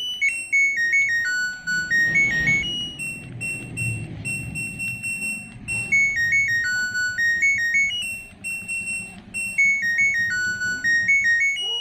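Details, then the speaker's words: LG Smart Inverter washing machine control module, repaired for no-display fault, bench-powered at 220 V AC: display now works and loud clear stepped beep tune repeats cleanly; normal buzzer tone. "Nah, alhamdulillah ya, Teman-teman. yang tadinya di sini display-nya itu tidak ada tampilan untuk kali ini sudah tampil. Selanjutnya untuk bernya pun sudah terdengar kencang."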